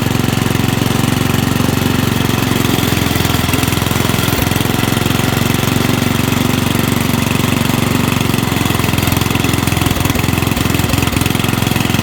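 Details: Rugg carpet-cut tractor found at the dump, small single-cylinder engine pulling the tractor with a dirty carburetor and a shot muffler. Loud, even chugging with no misses or bangs. Runs well, and backfiring is expected to drop once a muffler is fitted.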